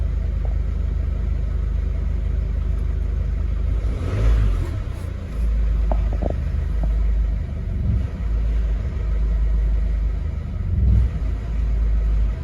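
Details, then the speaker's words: 2011 Mercedes Vito 113 CDI, OM651.940 common-rail diesel, idling fine until a brief rev. On returning to idle it runs rough, swelling and sagging every couple of seconds, and the fan starts. Owner suspects a faulty fuel pressure control valve. "soon as I give it a little bit of revs and it comes back to idle that's when the fan starts"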